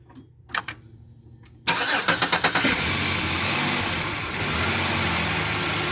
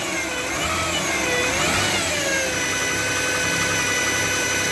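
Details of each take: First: 2007 Chevy Equinox after replacing the alternator, idler pulley and belt to cure a whine: a short crank, clean catch, then a smooth, steady idle with no whine. The old alternator had a bad bearing. Normal idle. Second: 2007 Chevy Equinox at idle: high whining tones rising and falling with engine speed, from the alternator or adjacent idler bearing; alternator, idler pulley and belt were replaced; alternator bearing whine.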